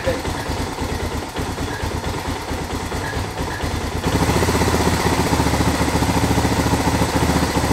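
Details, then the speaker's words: Suzuki DR650 single-cylinder, sat over 4 years, first start after carb cleaning with starting fluid: uneven, stumbling idle. Owner suspects old fuel needs running through, leftover debris in carb, or airbox/airflow not quite right. "sit still Artie it's beyond the little rough I think they need all the gas ran through it they help clean up a little bit crap out the park still and maybe just their box office airflows not quite right"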